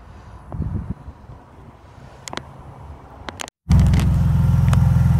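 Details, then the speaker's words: Van restarted with the key after dying following a jump start: a firm catch into a steady, even idle; the alternator is charging but the battery doesn't hold a charge and needs replacing. "died on me and I went inside and turned the key over so and it started right up so which means the alternator is actually working"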